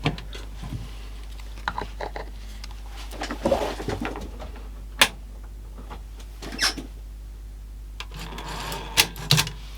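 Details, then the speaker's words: Sony SLC35 Betamax video recorder with a loading fault: quiet motor hum broken by scattered clicks and short whirs as the cassette loading mechanism cycles and resets itself; loading works but tape lacing is faulty. "well it reset itself so that's a good sign still not really working very well but we do have loading"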